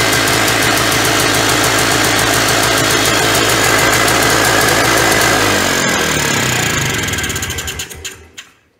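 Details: 1991 Polaris Trail Boss two-stroke, stored 28 years in a chicken coop, first start on gas poured into the carburetor; crisp even buzz holding steady then winding down smoothly to a stop, no knock or misfire; normal idle.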